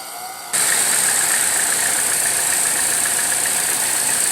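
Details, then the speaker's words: 2014 Chevrolet Cruze LTZ just after start: idle under a loud steady high hiss with a thin whistle from the top of the engine; air sucking through a stuck-open PCV valve, fixed by replacing the valve cover. "diagnosticar un problema que a través de vehículo trae como un silbido en la parte de arriba del motor"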